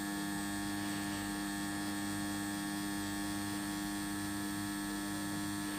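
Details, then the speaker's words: JGY 370 worm gear motor rated 20 RPM at 6V, run from a supply at 6V, sitting on a table that reflects the sound: clean constant even whine, no knocks or grinding; it measured 18.6 RPM, near its rating. Normal gear motor hum. "हम आप देख सकते हैं sound काफी ज्यादा आ रहा है क्योंकि इस टेबल के अंदर साउंड रिफ्लेक्ट हो रहा है"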